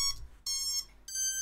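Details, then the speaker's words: FPV quad ESCs powered by plugging in a battery, props off, connected to ESC Configurator before flashing BlueJay firmware for Betaflight 4.3: three clean electronic tones stepping up in pitch, each under half a second; normal ESC startup beeps. "should hear the startup beeps and then you should now be able to read the setup from the escs"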